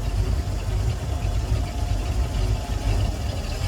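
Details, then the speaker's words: 351 PCM inboard boat engine, cool temperature, about 45 psi oil pressure, idling in forward gear after running issues were resolved; deep, steady, even rumble without misses, knocks or surging. "and we're in forward gear right there okay so I wanted to do that slowly because I'm holding the phone in my hand so that's that's forward gear"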